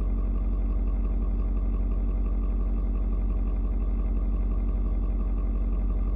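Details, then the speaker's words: Ford Super Duty 6.7 diesel, cold start at 56°F. A deep, even drone of about two beats per second, its tone shifting as it adjusts the fuel mix to the temperature before settling; no knocks or misses. Normal cold idle. "you can hear the truck engine kind of doing different tones what it's doing is it is reading and figuring out temperature outside it's trying to figure out you know um how much fuel to mix with the air"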